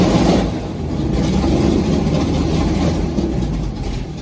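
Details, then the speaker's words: LS3 V8 airboat engine after a new coil pack on a dead cylinder found by exhaust temperature, warming up: loud, uneven, lumpy idle; owner suspects a fouled plug too; backfire had blown the valve cover gasket. "Well, she's idling again. Oh yeah, temp's coming right up. Come on. Not know why she ain't wanting to idle. Probably got a foul plug too, so I'm gonna do all the plugs in it."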